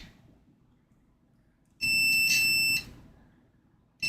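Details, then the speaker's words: Multimeter testing a capacitor on a board with a no-bass fault: sustained high continuity beep for about a second, then again on each probe contact; capacitor reading shorted and to be replaced. "I'm going to go ahead and replace this cap here. Every single time I go at it, it get a brief I don't know if you can hear that. I get a brief click out of my meter."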